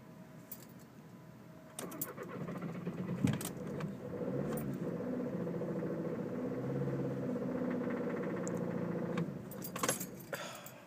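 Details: 2011 VW Jetta TDI at 45°F, 3/4 tank diesel, key held for glow plugs: starter turns engine steadily for several seconds, never catches; had started then died, restarted after 30 minutes; owner suspects fuel delivery problem. Crank no start.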